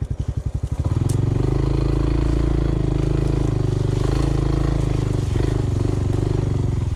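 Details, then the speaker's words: Honda CT125 riding uphill on trail: uneven single-cylinder chugs then heavy dull drone under load; rider fears imminent seizure, cause unclear. "i think something's terribly wrong i don't know it almost sounds like it's about to seize"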